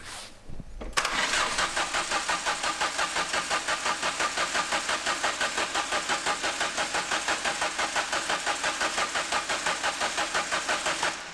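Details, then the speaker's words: Mk2 Ford Fiesta sleeper, start attempt after screamer pipe and oil drain install; about ten seconds of even cranking with no firing; it previously coughed into life then cut out. "Well, I've had a cough into go and then cut out. Leave the throttle closed. If you pass a certain point, it just it stops injecting fuel."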